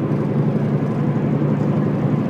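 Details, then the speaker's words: Subaru Impreza hatch, believed to be a 2007, 5-speed, intermittent complaint at highway speed: a steady, low droning rumble with a slow throb, shaking the steering wheel. A heavy vibration; the driveshaft U-joint is suspected, not confirmed. "it's so heavy [Music] like it feels like someone just took all the wheel weights off the cart even the steering wheel shaking"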